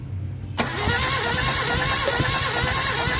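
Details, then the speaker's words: Mitsubishi Adventure gasoline 4G63 cranking during a compression test: uneven cranking with a loud clatter and no clean catch; cylinder 4 reads only 40–50 psi from a cracked head gasket, so no start and it needs an overhaul. "Pakita mo nasa 50 40 to 50 lang yung kanyang PHI sa number four. Ah problema talaga guys is yung kanyang solid gasket bitak. So kaya hindi aandar."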